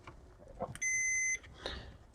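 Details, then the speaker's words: Lyman 1200 digital powder system keypad, replacement tactile switch continuity-tested: single clean high beep on press; switch working (old ones damaged by superglue). "so when we press the switch we should hear beep like that and of course we can go across and they all work"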